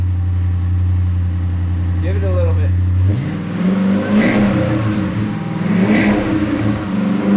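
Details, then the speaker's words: Totaled Dodge Challenger Hemi V8 with a new battery, started on the lift, rear exhaust clamp removed: deep strong even idle then clean revs, only a faint rear exhaust rattle from the removed clamp. Normal V8 start and rev. "It's rattling because I got that exhaust off of there. All right. Woohoo! We got 2 running Sweet. Hemi Challengers that sound great."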